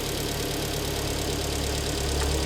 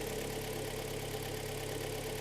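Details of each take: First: 2013 car, top premium trim, about 140,000 km, just reassembled after engine rebuild with boring, first start after standing over a month; steady even idle with smooth low hum, no knocking or misses: healthy. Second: 2013 premium-trim car, about 140,000 km, in for a major engine overhaul, cold start on a chilly October day. The petrol engine idles steadily with a faint, dull knock, heard as cylinders four and three knocking, typical of piston slap.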